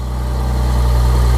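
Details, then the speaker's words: BMW S50B32 first start after refitting VANOS and diaphragm springs: deep, slightly uneven pulsing idle, lumpy as cams aren't in initial position, until VANOS oil pressure builds. "Start the engine. It will be lumpy to start with as the cams are not in the correct initial position. After about 10 seconds the engine will come on song."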